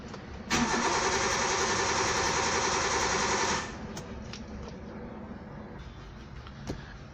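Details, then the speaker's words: Car engine cranks at an even, fast rhythm for about three seconds but never fires; crank-no-start, with blown fuses such as the 20 A ECM fuse to be checked first. "you can see here engine is spinning but it's not starting"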